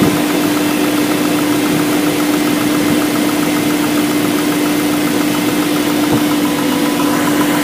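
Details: BMW M62B44TU V8 with stock exhaust: steady idle with a fine metallic chatter riding over it, suggesting a worn tensioner letting the timing chain slap; timing chain rattle.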